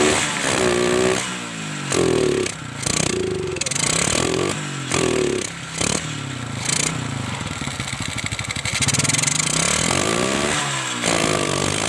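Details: Kawasaki Kaze motorcycle with lost ignition, coil spark checked strong (CDI usually suspected): a few short cranking bursts, then the single fires and settles into a steady, even run; normal running, ignition working again.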